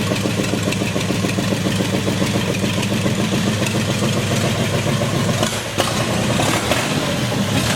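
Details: 1932 Ford gasser truck engine that sat over 40 years, first restart without water or fan belt, oil pressure about 42: deep lopey V8 burble settling into steady idle, no knocks or misses; sounds healthy.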